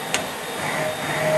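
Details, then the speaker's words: Okuma DCC-15 CNC lathe mill drill tap center, Z-axis rapid traverse at 50% (can go to 100%): soft steady whir building with speed, very smooth motion, no clanks or knocks; machine in nice shape, normal rapid travel. "Yeah, it's very nice and smooth motion, no clanks, nothing. It's in very nice shape machine, as you can see it right now."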